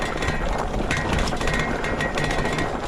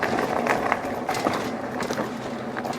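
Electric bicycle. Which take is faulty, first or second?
first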